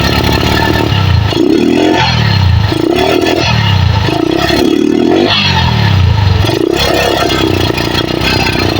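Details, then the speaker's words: Megapro Primus with severe stuttering, original CDI fitted replacing aftermarket one, battery and corroded red wire already fixed: revs surge unevenly and stumble every second; misfire persists, so ignition ruled out, carburetor and coil to be checked. "Nah itu Itu kelihatan e kedengaran jelas berat Parah ini padahal CDI ori Saya kira pengapian yang bermasalah ya"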